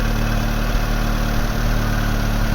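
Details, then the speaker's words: Vauxhall Astra Mk3 1.6 LS saloon petrol, first start after sitting unused about 12 years: steady even low idle with no knocks, misses or hunting; normal idle. "here's every demonstration how sweet this engine has gone fire up no bad at all i'm not having run for probably over 10 years"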